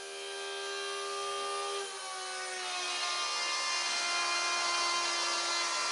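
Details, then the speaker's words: Electric fuel pump on a Holley Sniper EFI install, main and return fuel lines connected, fuel added, pump test before first start: steady electric whine climbing slightly in pitch and settling as pressure builds; pump running normally. "She's pulling some pressure, I can hear it."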